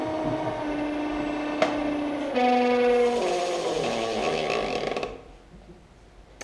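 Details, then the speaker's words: Woodturning lathe running while turning the tenon off a bowl foot: steady whirring hum that steps up in pitch mid-run with an uneven rattle on it; abnormal lathe noise that happens sometimes, cause unknown. "doesn't sound right. Does that noise bother anybody?"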